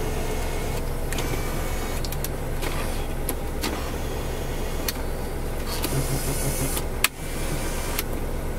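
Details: One-owner 1993 Chevrolet Corvette C4 coupe, 350 LT1, interior: steady low electric motor hum as the power seat moves forward and backward, no grinding or straining; seat motor healthy.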